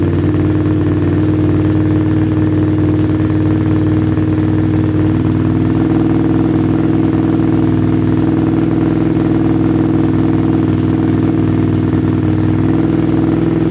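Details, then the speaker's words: Motorcycle twin carburetors balanced with sync gauges after a failed plastic-bottle attempt: the idle's tone and beat shift audibly as the balance adjustment screw is turned, bringing both carbs into sync. "Totally honest with you, I could hear the change that was happening when I was turning this screw."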